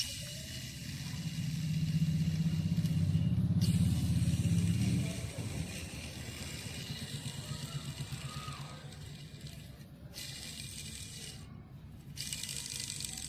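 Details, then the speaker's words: Honda Activa 5G engine half-opened for the first time, bare crankshaft spun by hand: a coarse, gritty rumble rises and fades because the crank ball bearing's balls are worn and pitted. The other-side bearing is less worn but has excess side play. "इसके अंदर जो ball bearing होती है ये जो छर्रे होते हैं उनमें घिसावट आ जाती है। दाने पड़ जाते हैं। तो इसके कारण इसकी जो स्मूथनेस है वह चली गई है।"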